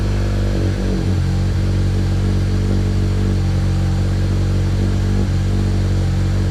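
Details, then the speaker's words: Honda CR-V RD1 (JDM) K-swap, first start with a new custom mild-steel exhaust: 3" downpipe, 2.5" pipe with resonator and twin-loop muffler. Very loud, raw, booming idle drone, louder than it should be; owner suspects an exhaust leak. "Holy shit, that's loud. Do I have an exhaust leak or what? Holy shit, I might have an exhaust leak. That shouldn't be that loud."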